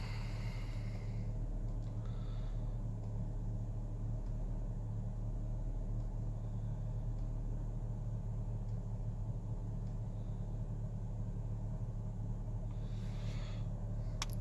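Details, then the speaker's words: 2009 Chevy HHR 2.4L, about 79,000 miles, cold start at 35 degrees after sitting overnight, needed a gas-pedal tap to start (hard-start issue, P0172 history): low, even rumble with no misses or knocks; normal warm-up idle once running. "cool attire monitor dead that's it once it's running runs like a dream"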